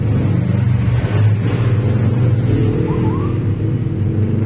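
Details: Timor car with a misfire at low rpm persisting after TPS, ISC and throttle-body cleaning: low idle stumbles with an uneven, lumpy beat and occasional dropouts.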